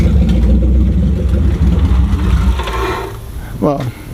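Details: Crown Victoria 4.6 DOHC with low compression, after new IAC, TPS, plug wires, plugs, coil packs and replacement ECU: engine catches and settles into a steady, even low rumble with no stumble or knock; normal start and idle.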